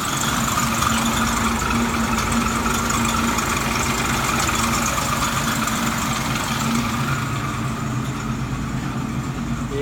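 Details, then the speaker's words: 1967 Mustang six-cylinder, started cold (about 57°F) after sitting a week, now fitted with a Pertronix electronic ignition in place of points. A steady, even idle with no misses or stumbles; it runs great on the new ignition. "it is so it's running great with the new electronic ignition that really works I I love it I never going back to points again ever"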